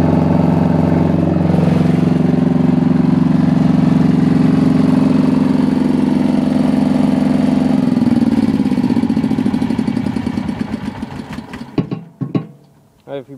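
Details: Diesel generator after a fuel problem was fixed, cold start without glow plugs at about 65-70°F, water pump audible: steady, even diesel beat at constant speed, winding down smoothly at shutdown; healthy running.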